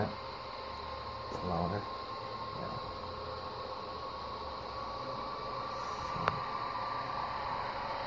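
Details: Marq Gesture Wash 102 moving-head light, cover on, original untouched stock sleeve-bearing cooling fans, about 75–76 dB: a steady loud whirring hiss with a faint high whine and no knocks. The fans are noisy; the fix is replacing them with dual ball bearing fans.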